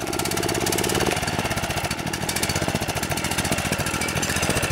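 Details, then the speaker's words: Country Home Products DR TR1 walk-behind trimmer, 6.75 hp Kawasaki FC150V engine, after long storage: idles with fast rough pulse but won't rev up; lean, plugged carburetor main jet suspected; revs with choke pushed on. "like it'll idle okay. It just won't rev up. So I think that what that's telling me is the main jet inside the carburetor is plugged."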